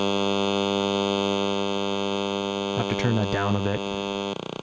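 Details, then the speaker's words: Everyday device with a screen, heard through a grounded RF probe not turned up: steady, even hard-edged electrical buzz unchanged while in use, the screen radiating electromagnetic interference. "so there you have it that's just a standard everyday device look at all the noise that that screen is making"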